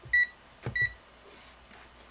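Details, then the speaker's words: Multimeter set to continuity mode, function button pressed: two short, clear high-pitched beeps about half a second apart in a quiet room, the meter's normal continuity signal, checked before testing a 9-volt relay circuit. "So for my meter, when I put on continuity and I press the function, it will beep."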